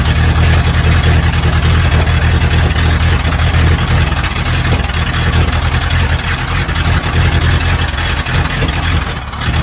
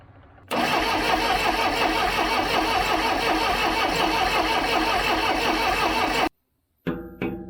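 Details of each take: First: 1976 Broderson IC70 crane, abandoned for years, tank cleaned: a heavy, low, steady chugging idle at about three beats a second, even and sustained; the old diesel is running, though it would not shut off. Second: 1976 Broderson IC70 crane diesel, abandoned for years, varnished fuel, 12-volt fuel solenoid confirmed powered: a fast steady starter churning at about three beats a second that stops abruptly and never catches; cranking without starting, cause not confirmed.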